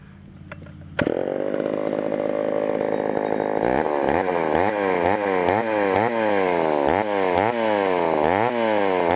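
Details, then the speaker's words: Homelite Super XL chainsaw cutting wood: revs high then repeatedly drags down and recovers about twice a second, bogging and cutting slowly; owner suspects the chain needs sharpening. "[Music] [Music] Chane probably needs sharpened [Music]"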